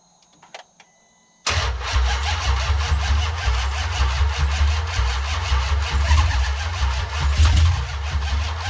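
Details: 2014 Dodge Challenger R/T 5.7 Hemi, first start after in-car piston ring replacement, before finishing break-in. Quick crank, then a steady, even burbling V8 idle with no knocks or ticks. Normal.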